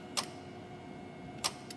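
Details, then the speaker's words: FJ Cruiser with the A/C light flashing and no cooling, key on, compressor load terminals bridged: two crisp clicks as the compressor clutch engages normally; a faulty relay is suspected. "so I'm going in there so we know that our clutch is actually working now"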